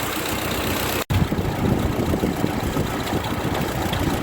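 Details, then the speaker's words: Old Ford 2N tractor, warmed after about 15 minutes of running around: engine chugs unevenly at low speed with irregular exhaust pops and splutters; timing and carburetor need setting, suspected cause of the popping. "you can hear all the farting and popping from the exhaust it just needs some tuning on it the timing and the carburetor need to be set properly"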